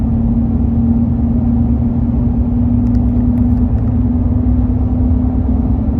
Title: Accelerating humming noise 05 tundra